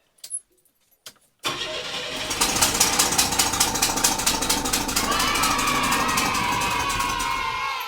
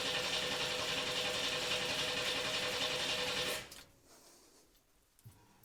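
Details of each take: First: 1982 Chevy S-10 after a swap from the 2.8L to a 3.4L V6, first start after an earlier backfire with timing possibly off: loud raspy puffing over the idle at about 160 per minute on one side. A big exhaust leak. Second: 1982 S-10 with a swapped-in 3.4L V6, fuel relay fuse pulled and coil disconnected, being cranked to build oil pressure: even, fast whirring crank at about 3.5 beats a second without firing; normal cranking, and oil pressure came up.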